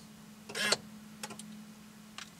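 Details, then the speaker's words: C5 Corvette electronic steering column lock, Tech2 test: key on then key out, quiet electric buzz with short whirr and faint clicks as the actuator cycles; column lock working normally again. "you hear that activity and now we're back in business"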